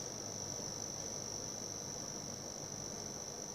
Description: The noise came randomly and unexpected and only during load ( fan spining ).